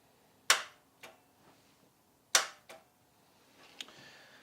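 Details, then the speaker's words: Vauxhall Chevette parked over 10 years, first start attempt with the fuel line disconnected: two sharp clicks a few seconds apart, no cranking. The starter seems stuck; a blown fuse and tin foil in the fuse box were found afterwards. "so you can hear the starter solenoid being um how would you say it you can hear the starter switch trying to engage the starter but unfortunately it sounds like it's stuck"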